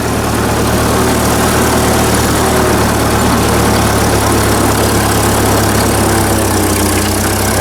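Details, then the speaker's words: 1944 Ford 2N tractor after the governor oil line bypass was installed. On a hill, the steady low engine note sags briefly under load and then levels back to even speed, showing the governor holding the throttle properly. "a good one so that kept the throttle at the same same speed there so we didn't die out you can hear it level up again"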